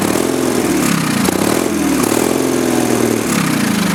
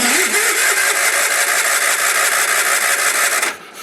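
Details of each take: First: Early-1980s Sears Craftsman FF20 tractor single-cylinder engine after carburetor cleaning, chugging steadily on its own on part choke with slight speed hunting; normal running. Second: Early-1980s Sears Craftsman FF20 garden tractor that had not run since 2009, with a damaged ignition-switch wire: about three seconds of even starter whirring with no firing; crank-no-start.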